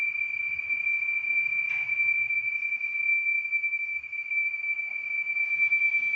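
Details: 2015 Audi A8 L: constant high, thin whistle holding one pitch with no engine rumble behind it; whistling traced to a failed PCV oil separator.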